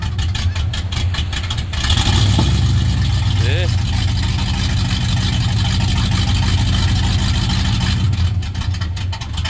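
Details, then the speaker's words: 1984 Dodge RAM D150 318ci V8 just started cold on a cold day: loud, deep, uneven loping rumble at very low idle; owner thinks it's heavily cammed, unsure if all cylinders fire; rough idle. "I'm sure it's because it's super cammed very low idle here it is ID as ugly as it is it sounds all"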